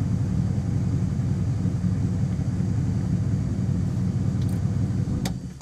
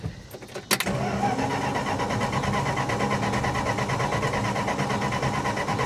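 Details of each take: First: 1966 Plymouth Fury V8 after rewiring bypassed ignition wires (coil voltage had dropped to zero while cranking): steady, even low rumble with no stumbles, surges, bucking or backfires; normal running. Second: 1966 Plymouth Fury with new electronic ignition, coil wired directly to the battery: steady cranking about three beats a second with no firing on a dying battery. Crank no start, no spark.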